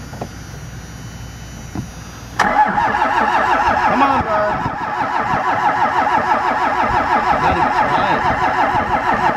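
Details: Cold diesel in chilly temperatures, not plugged in (block heater), with 15W-40 oil and a leaking O-ring at the fuel filter housing; starter grinds steadily at about three turns a second with no catch or firing; extended crank, no start.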